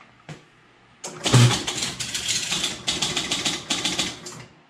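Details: 1977 Gottlieb Jungle Queen electro-mechanical pinball powered up after fixing loose stacks, a burnt coil and the out-of-adjustment player wheel: few seconds of rapid clattering relays and stepping reels, then quiet; normal reset cycle, though ball not kicked out.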